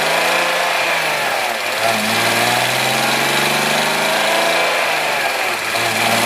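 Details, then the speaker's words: BMW E46 M54 petrol engine after refitting the fallen-off oil pump nut and replacing the oil pan gasket; steady, even idle with smooth hum, no knocking or ticking, oil pressure now present. "I don't know man like it sounds pretty good it sounds pretty good definitely get an oil pressure now"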